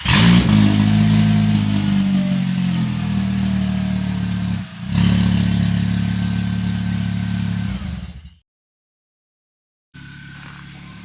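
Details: Volkswagen with 07K engine, after repairing a severe exhaust leak just after the exhaust manifold with new exhaust: starts and revs smoothly, steady deep exhaust note, no puffing or ticking; exhaust sealed.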